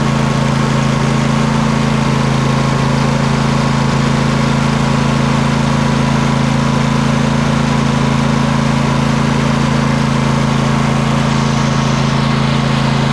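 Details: Poulan Pro 700EX twin-cylinder riding mower, both plugs reconnected, smoke burning off the long-unused cylinder: an even, steady twin beat with a smooth low hum and no misses or popping; running properly.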